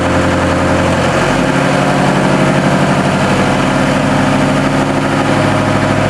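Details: New TDME-490 58 hp marine diesel, under one hour of run-in, at 1000 rpm, heard 3 m from the boat, bridge door open, engine hatches closed: steady, even drone with firm low beat, no knocks; healthy.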